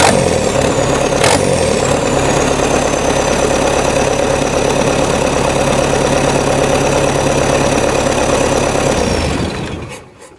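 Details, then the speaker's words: Cold diesel-swapped Jeep Wrangler YJ in neutral, started after the pump primed: it catches at once and settles into an even, steady clatter before switching off; clean, healthy cold start. "the pump build up the pressure, bump that key, she fires every time. It is so dialed in good."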